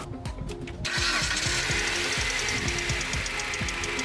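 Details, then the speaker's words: 2010 Dodge Avenger with codes P0365 and P0340, previously hard to start with long cranks. After the cam sensor was replaced, a few quick starter cranks catch at once and settle into a steady, even idle. "p0365 cam sensor it's usually bad and this thing started right up"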